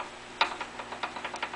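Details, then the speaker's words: Briggs & Stratton ZH engine, partly disassembled and dry, turned by hand; light irregular ticks and clacks from slop in the cam and governor gears, the apparent source of the knock; owner assumes it's normal and will quiet with oil. "there's a little bit of slop in the cam gears and I'm assuming that when there's some oil in there that'll quiet down the governor thing works on a gear and so does the cam for the valves and those gears got just a tiny little bit of backlash in them"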